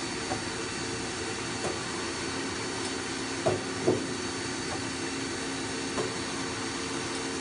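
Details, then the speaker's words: 2000 Mazak M5N CNC lathe (Mazatrol Fusion 640T, 7.1" bore, three-range headstock), possibly rear spindle running: quiet steady whine, faint hiss, few light taps, even throughout; headstock sounds good, spindle healthy. "The headstock sounds good, and the machine is running and being used in the shop."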